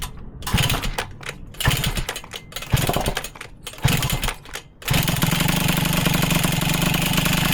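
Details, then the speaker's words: Motobécane moped just revived, warming up at idle: small two-stroke idling unevenly with loose clacking bursts from the ER3 variator clattering at low revs, a common harmless Motobécane trait. "ce vous entendez claquer c'est toujours le variateur ER3 Dole qui claque quand même pas mal au ralenti ça c'est un petit peu la maladie sur motomécane avec système de roulement mais bon c'est pas très grave"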